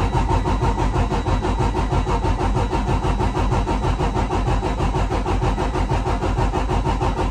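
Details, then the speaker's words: 2009 Freightliner Cascadia diesel at 1,061,891 miles, cranking during a compression test: even rhythmic cranking about three pulses a second with no uneven beats; results judged good for a million-mile truck; normal cranking. "There are the results of the compression test. Not bad for a truck with 1 million miles."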